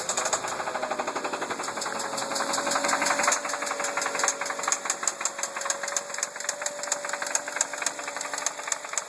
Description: Any idea? 2003 Focus engine knocking rattling.